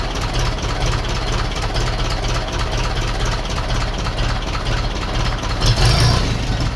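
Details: 1951 Ferguson tractor just started after thermostat housing replacement, throttle linkage being adjusted: steady, even low rumble at idle, no knocks or misses; running smoothly, no leaks.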